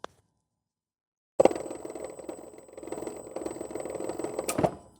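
Rapid, irregular popping and clicking over a thin high whine from an electric drive motor whose encoder is out of phase.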